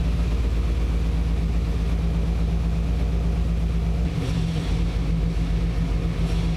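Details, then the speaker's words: V8 after correcting ignition timing (it had been set from the wrong TDC marks on the balancer) by turning the distributor: deep even burble picking up cleanly on throttle with no misfire or stumble, idle needing to be turned down; normal revving. "yeah and now this thing is Rev right up got to turn the idle down"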